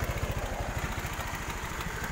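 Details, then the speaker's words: Honda Vario 125 carburetor scooter after block boring, engine rebuild and carburetor service; small single putters at even steady beat, about eleven pulses a second, no misses, no more smoking. Normal idle. "Oke, teman-teman bisa dengar sendiri ya suara mesinnya. Alhamdulillah halus. Tidak ada lagi ngebul ya, tidak ada lagi ngasap ya teman-teman."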